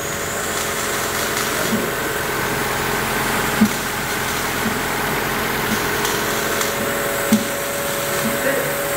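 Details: 2005 Honda Civic 1.6, 310,000 km, idling evenly with a light steady hum and no knocks or grinding at first start in the shop; owner reported drone in 1st-3rd gear, not found.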